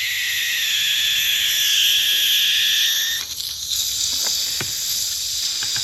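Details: 1971 or 1977 Johnson 25 hp (25R71) outboard gearcase lower unit under air pressure test: steady high hiss for about three seconds, then small clicks, as air escapes past a screw missing its O-ring.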